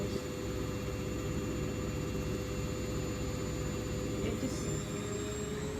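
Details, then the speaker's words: New Hoover DXC C49W3 washing machine (9 kg) spinning a half load, meter reading nearly 80 dB with an 88 dB max: constant heavy roar with a deep rumble throughout; excessively loud spin cycle. "case that's not on no washing machine should like be nearly 80"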